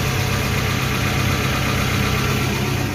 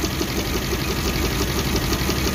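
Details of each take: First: Suzuki APV (Mega Carry) petrol van that shook, coughed and lacked power, after a service and part replacements: it now idles smoothly and evenly with a steady low hum and no shake. The rpm is still not quite right. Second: Suzuki APV (Mega Carry) petrol engine shaking and coughing with no power; rough lumpy idle with recurring stumble, cylinder 2 not firing due to failed ignition coil.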